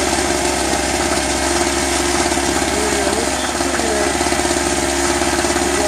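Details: Eagle River ERG1200 two-stroke generator, first start: buzz under load with rough rapid rattly knock and some whistling; owner suspects poor lubrication as oil smells plasticky, cause unconfirmed; knocking under load.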